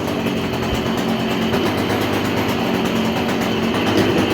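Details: Stihl KM56RC pole saw after fix, where the shaft had been pushed down and not interlocking at the engine end: small two-stroke buzzing at steady high speed, head now turning, nothing rattling or slipping; normal running with drive engaged.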